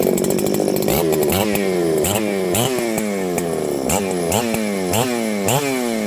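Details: Ported 394XP chainsaw, intentionally built with slightly less compression than a stock 394, warm restart after sitting. It fires readily and revs cleanly, with crisp, even two-stroke bursts rising and settling between blips: a healthy restart and run.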